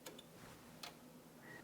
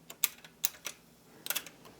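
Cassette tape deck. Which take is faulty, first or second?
first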